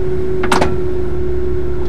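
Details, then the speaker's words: Single brief clunk over a steady idle hum as a circa-1999 GM truck with an Allison 1000 5-speed automatic shifts from reverse to park: heavy-duty park pawl engaging, which is normal. "that clunk indicates the park paul is engaged a heavy duty park ball that contributes to this truck's best in class gcwr again it's a good thing it's the sound of strength"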